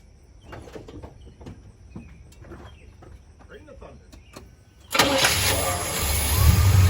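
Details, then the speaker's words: 1977 Chevy C20 V8 truck with a long-standing miss, new performance plugs and wires, sat 5–10 minutes, distributor timing set by ear: brief crank, slightly hesitant catch, no throttle, then steady even idle; normal start. "so you could already hear i mean it started up a little a little bit hesitant but that's because it's been sitting for a little bit i didn't give it any throttle"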